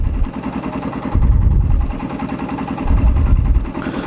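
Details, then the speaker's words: Raider 150 carb engine at idle: steady low putter with no sharp ticking or rattle; light natural metallic clatter, not loud; clean, normal idle. "So pakinggan mo, natural naman yung ano niya, yung kalansing niya, hindi yung kalakasan."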